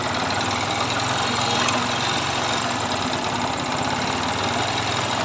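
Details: Yamaha R15 V2 engine at idle: steady idle with a busy, rattly top-end clatter; abnormal engine noise, cause unclear.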